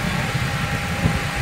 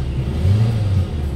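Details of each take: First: Hyundai Getz 1.6 with jerking and vibration: uneven idle thumps with irregular low stumbles; misfire from a spark plug wire leaking spark to ground at its side, fix is a new high-tension wire set. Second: Hyundai Getz 1.6 after misfire and vibration repair: short low even idle rumble, no shake or stumble; problem solved.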